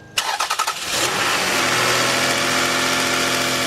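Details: 3.0 V6 after timing belt, tensioner, seals and water pump job, Toyota red coolant refilled, harmonic balancer temporarily fitted: a few quick cranking beats, then it catches cleanly and holds a smooth steady idle with no knocks or ticks.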